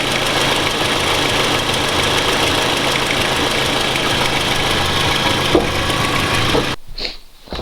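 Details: Toyota Camry 2AZ-FE at idle: a fast, uneven clatter, about four taps a second, from a worn timing chain, fixed by chain replacement. Owner believes the VVT-i valve is the root cause; a hesitation persists.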